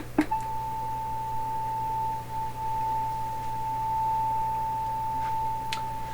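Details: 1920s Westinghouse oval cone loudspeaker matched to a 1928 RCA Victor Model 28 TRF radio, driven by a signal generator with the mic close to the speaker: a clean, steady tone near 880 Hz with no buzz or rattle; normal reproduction.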